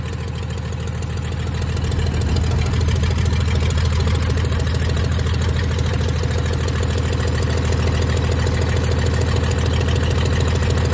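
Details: 1996 Dodge 2500 diesel running with no turbo or exhaust manifold fitted after turbo failure: heavy clatter about three beats a second, slightly uneven lumpy idle; not smooth, owner suspects injection pump setup and oversized injectors, too much fuel for air.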